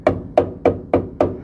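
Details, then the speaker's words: 1989 Chevy K1500 4x4 pickup, former farm truck: five sharp taps along the cab corner about a third of a second apart sound dull and papery, unlike solid metal, showing rusted sheet metal before replacement. "tapping along here to try and you can hear the difference like if I'm like the met the rusty metal doesn't quite have the S same sound as good solid metal"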